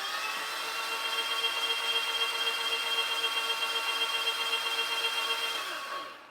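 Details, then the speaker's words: Suzuki 150 four-stroke outboard with milky oil, cranked with spark plugs removed before compression testing. Harsh, gritty whirring cranking around four per second, no firing: rough turnover, unclear whether starter motor or something else. "Doesn't sound very good, but I'm not sure if that's the starter motor or something else. Uh, of course, we don't have plugs in it either."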